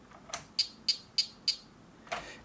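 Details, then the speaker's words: Vorwerk VK-140 Folletto vacuum, switched reluctance motor: sharp regular ticks about three a second with no spin-up on start attempt; motor spins freely by hand, so the fault is the driver board (damaged low/high side driver) or coils. "try to start but it doesn't start let me unplug this and if you see the motor can spin and so there's something wrong with the electronic or the coils"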